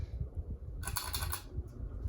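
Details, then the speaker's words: Hampton Bay Carriage House 2 ceiling fan from 2012 running with a low, steady drone and a brief burst of dry, chattering rattle. A loose part causes the creaking and the fan wobbles; this is a noisy ceiling fan with a rattle. "oh look how loud it is oh so loud so ugly flat well yeah the boy that was loose that's why you can hear that creaking"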